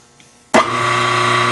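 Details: Grizzly G4003 lathe motor run with the belts off, after tightening its loose pulley: it switches on and settles into a steady, even hum with no rattle. The set screw sat opposite the key. Normal run, rattle fixed.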